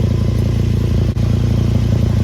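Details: 2011 VW Golf Mk6 wagon at idle with loud exhaust: fast, steady puffing tick in time with idle from exhaust escaping at a big hole atop a welded patched pipe joint.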